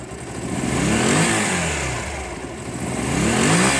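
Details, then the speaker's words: Honda CB250 café racer, idle adjustment cut off and idling slightly low: two clean throttle blips rising and falling smoothly with no stumble; owner thinks it sounds better and healthy. "I think that I'm pulling the throttle. I think this sounds better. I think it sounds better, guys."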